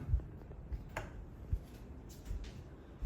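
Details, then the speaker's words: Craftmade Kinsman three-speed reversible ceiling fan, non-DC motor, on medium speed: quiet hum with soft low knocks about every second, an intermittent rattle that comes and goes. "it does rattle when it's on medium like my mink a dino did at my old house you might be able to hear it rattles sometimes and sometimes it doesn't"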